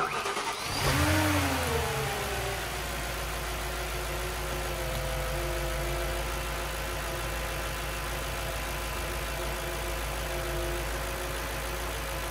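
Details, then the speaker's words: Audi S4 V8 (B6/B7) after timing chain replacement, engine cranked first to build oil pressure, then started: catches cleanly and settles into a steady, even idle with no knocks or rattles, a normal healthy start. "before we start the engine we're just going to crunk it to make sure we have oil pressure and then we can start it up"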